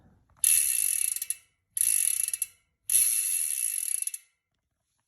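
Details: Cannondale CAADX gravel bike with Hollowgram 35mm wheels and XD-R freehub: three free spins, each a fast crisp clicking that fades evenly with no grinding or skipping. Healthy freehub pawls.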